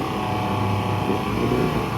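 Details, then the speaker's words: 200 hp Yamaha inline outboard after cylinder head rebuild, stationary load test at full throttle: strong even roar with steady pitch and no misses or knocks; runs cleanly. "so we're not scared to punch it. That's full throttle."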